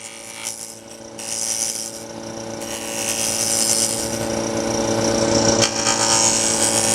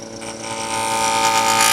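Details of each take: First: Wood lathe turning with steady motor hum and a nice even hissing gouge cut, no chatter or vibration from pushing too hard: smooth even cut. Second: Wood lathe inside-out turning: buzzing, ringing chatter instead of a nice even hum, meaning the gouge is pushed too hard into the wood; just touch the bevel.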